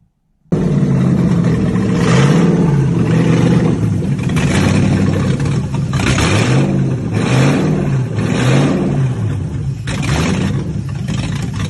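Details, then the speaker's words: 2008 Hilux with 1UZ V8 swap and custom wiring loom, after first startup and fixing a couple of leaks: strong V8 rumble with throttle blips, firing steady and even, no misses or knocks; running like it should. "so that's its first startup yeah he had a couple of ear Lex and he sorted those and it's now running like it should"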